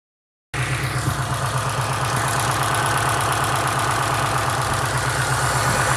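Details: 2005 Subaru Impreza WRX STI with a blown short block, at idle and 2000 rpm, hollow rhythmic knocking about three beats a second over an uneven rumble: piston slap.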